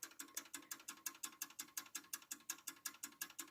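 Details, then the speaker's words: German mantel clock with eight-day mainspring and small platform escapement: very quick, sharp, even ticking around five or six a second; the mainspring overpowers the escapement, which races too fast and cannot be regulated. "you can hear it's going very very fast it's not supposed to do that as far as i'm aware"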